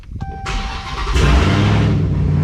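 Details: Hellcat-swapped car that would crank but not start, fuel pump now replaced: a brief whirr of cranking, then the engine catches at once and settles into a deep steady rumble; starts clean and healthy.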